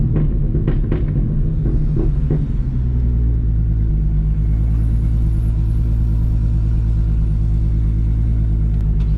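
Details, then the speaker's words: Audi RS3 swapped with stock 3.2 VR6 and 79mm turbo, low boost, on smoothed-out base tune: deep steady even engine rumble with no stumble; normal running, previously very rough. "from so now the car actually idles and drives and sounds like a vr before it was so rough"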